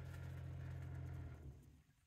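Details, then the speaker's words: Truck camper RV water pump fitted with a pump controller, slow flow through the water filter: steady low hum, smooth and slow without on-off hammering, then winds down and fades to silence as the tap closes; normal run and shut-off. "the pump turned on it's running can you hear that smooth and slow it is not hammering on off I'm going to turn off the water up here and you can hear it shut off"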